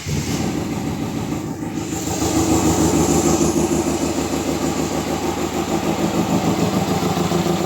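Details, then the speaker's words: 2017 Citroën C3 with failed engine under repair, timing synchronised: starts instantly but idles unevenly with loud lumpy clatter near three beats a second over hiss; all four cylinders seem to fire, ignition timing suspected. "Donc voilà, comme vous avez pu l'entendre, le bruit est pas ouf. Mais elle démarre au quart de tour et elle tourne pas très rond."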